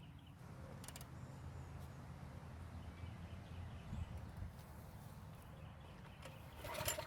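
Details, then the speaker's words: County Line tiller that would not start after storage with ethanol gas in the tank, now reassembled with fresh gas, choked, fuel valve on. Took a couple of pulls, then a smooth, even single-cylinder putter with no misses. Normal running. "So it took a couple of pulls to start up, but it seems to run very well."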